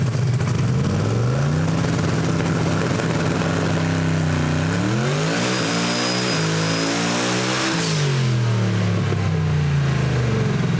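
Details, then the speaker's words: Chevrolet Camaro ("Better Half"), rebuilt SMX engine of almost 2,000 hp, dyno pull off the trans brake: revs sag and bog early, then climb hard to the top. "Okay, and the dyno lugged it down just a little bit at first, but when I let go of the trans brake button, it was only making 5 pounds of boost, so that's probably why it lugged some."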